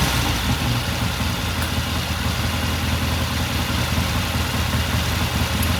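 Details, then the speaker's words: 1969 Triumph TR6 motorcycle warming up after cold start, pilot jet cleaned and pilot air screw turned in half a turn: steady, even twin-cylinder idle with no misses or stumbles; normal warm-up idle. "It sounds good. I'm just going to let it sit here and idle for a while. Run for a few more minutes."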